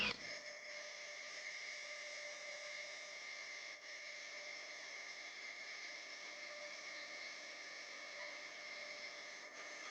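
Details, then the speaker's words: Femobook A2 coffee grinder grinding 10 g of light-roast beans at Turkish-fine size: steady high motor whir dips from about 60 to roughly 40–50 on hard beans but pushes through to auto cutoff without stalling. "so you can hear that it is slowing down the RPM it runs it 60 normally so it's dropping I don't know 50 40 some of that range as it hits the more difficult beans to grind but it's pushing through"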